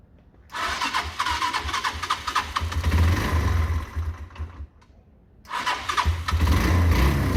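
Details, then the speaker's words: Derbi 125, a former non-runner, after a quick carb service and fuel tank clean: it catches quickly after a short crank, settles into a steady beat, then gives clean blips; a good start. "so let's fire this up let's see what's happening good start"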